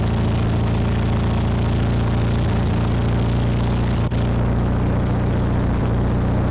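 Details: 1972 VW Super Beetle air-cooled engine after electronic distributor conversion, set with timing light at fast idle: loud low chug with slight unevenness, timing still off; rough running during ignition timing adjustment.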